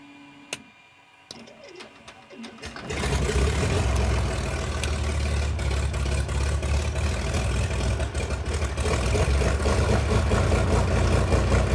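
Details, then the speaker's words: 68-year-old museum airplane engine started after 20 years stored: catches after a few seconds and settles into a lumpy, uneven idle that stumbles now and then, sounding like a big cam; it is actually misfiring. "that just sounds like it has a huge cam in it when what's happening is it's just missing"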